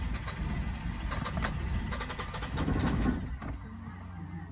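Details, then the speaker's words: 2015 Hyundai Santa Fe with hard or no starting and no rpm reading: the starter churns at about four beats a second but the engine never fires. "let me it's having difficult starting so let me try something"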